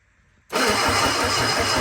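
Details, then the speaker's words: Sunbeam Alpine 1725 engine, on starting fluid with carb likely needing rebuild, after low backfire and a quick timing adjustment: rough, pulsing churn as it nearly fires but never runs; cause not confirmed. "Alright, so she's wanting to. Alright, this may very well end up being a two-person job with manipulating the starting fluid, the throttle, and trying to get it to actually fire off."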